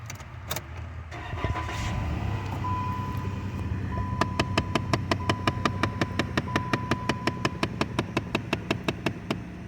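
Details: Chrysler 200 heater blend door actuator behind the glove box ticking rapidly and evenly at nearly three clicks a second from inside the dash; which of the two actuators it is remains unclear.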